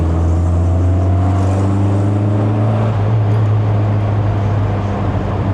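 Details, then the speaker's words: MG Midget after winter hibernation, weeping copper fuel pipe fixed: steady low drone, even exhaust note, no knocks or misses at about 30 mph; normal running engine. "It is running beautiful that Yeah, it's running nice."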